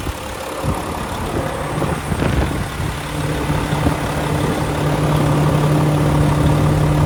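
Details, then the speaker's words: 2014 Volvo VNL64T300 day cab, D13 diesel, 13-speed manual, running with a check engine light present, idling at 700 rpm: low even clatter with steady hum, no knocks or misses; healthy idle. "I'll let you have a listen to it running. It sounds good and healthy to me."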